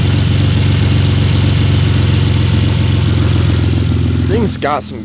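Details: BMW E46 drift project car, just bought; deep idle with uneven lumpy beat and irregular stumbles after clearing codes that included cylinder 6 misfire; misfire at idle not present when first driven out.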